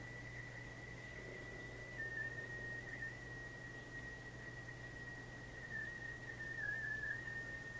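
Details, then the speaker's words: Caprice AM radio under repair: steady high-pitched squeal near 2 kHz with low hum, wavering as the board is touched; cuts out when a coil is wiggled. Intermittent squeal, owner suspects the transformer, board or a loose solder joint. "Because at this moment, alright, I think you could hear the squeal."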